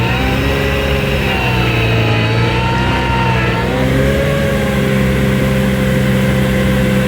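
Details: New Vermeer SC1052 stump grinder engine under heavy grinding load: steady pull, pitch dipping and recovering smoothly, no misfire or knock; survived hard torture-test use, healthy.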